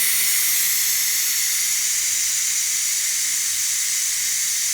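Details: Ninja Foodi quick pressure release, gate fully open, after 20-minute pressure cook of baby back ribs; loud even high hiss holding steady, nothing low underneath, about a minute to vent; normal steam release.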